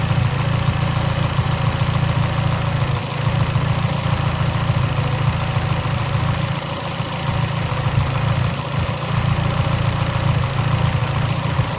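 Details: Mitsubishi Lancer Evolution X with a low, uneven idle showing irregular dips and stumbles in the exhaust pulse, about three a second. A lean idle misfire.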